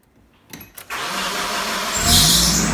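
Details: Nissan KA24DE that only clicked and wouldn't crank despite the battery, grounds and starter connections being checked, after replacing the ignition switch on a cold day: a couple of quiet clicks, then brief cranking, a clean catch and a steady run.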